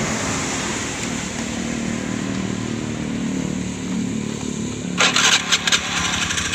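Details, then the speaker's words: Honda Beat injection scooter after CVT repair for a growling, weak-pulling drive; smooth even drone with no belt-side grinding, some clatter near the end; still slight clutch shoe slip from excess oil in the CVT. "Suaranya sudah halus, tidak seperti tadi."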